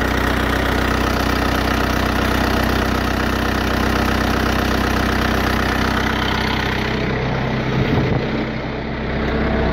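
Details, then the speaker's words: Bobcat 853 diesel after fixing fuel starvation with a 12 V electric fuel pump kit and the tank check valve gone, started without priming after sitting overnight: steady even idle with smooth rhythmic chug, no stumbling; runs perfect. "want to uh go Full Throttle on it since I just started it but you know it's got good power run perfect"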